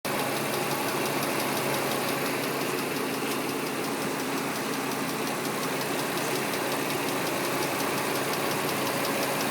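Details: 2003 Nissan Murano, new CVT fluid, semi-synthetic oil, new filters, at idle: light, rapid metallic ticking keeping pace with the engine; ticking just started, cause unknown, owner going to the dealer.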